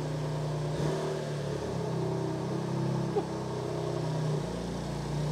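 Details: BMW M2 Clubsport after engine rebuild and reinstall, first start-up with exhaust fitted: deep, steady idle with a few light throttle blips, smooth and even with no knocks, ticks or misses; normal revving, engine healthy.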